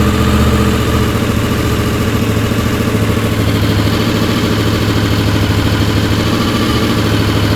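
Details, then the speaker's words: Honda VFR750 just after carb work, which has a light-throttle, higher-RPM flat spot. Carbs not yet full of fuel despite fuel pump pressure: uneven, lumpy running on one or two cylinders for a second, then kicks in to a fuller beat. "it takes a little time to do that even with fuel pump pressure and then the next thing you know it doesn't want to run and it's only running on one or two cylinders and then boom kicks right in like you saw"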